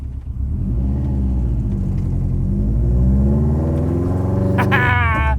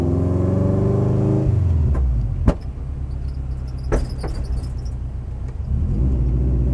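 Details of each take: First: AWD rallycross Miata with new suspension, driven over a big bump after fixing rear binding that had caused a metal-on-metal clank: steady engine and road rumble with no clank or knock; the rear suspension now sounds quiet and the fix worked. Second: AWD Miata with brand-new coilover suspension, driving: sharp metallic clunks and bangs over the engine note, metal-on-metal contact; binding suspected, possibly shock bottoming out; not confirmed.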